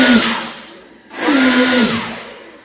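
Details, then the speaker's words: Homemade electric turbo for a Vario, run on battery voltage with its cooling fan on and throttle blipped. Two clean bursts of whine swell up and wind down with rushing air. Motor and compressor spool freely, with very strong airflow. "Kipas angin sudah menyala. Ini sangat kuat."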